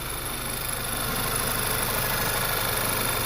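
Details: VW Mk6 after fixing a random cylinder 3 misfire by pulling the intake and cleaning gunked injectors: smooth, even idle with a steady hum, no stumble; running clean on all cylinders.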